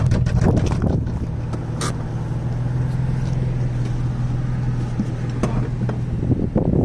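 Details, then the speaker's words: 1989 Toyota Supra revived after 8 years abandoned, hard to keep running with a vacuum line missing: a rough, struggling idle with a dull knock under the low drone, a bad rod knock. "You can hear that rod knock. Pretty bad."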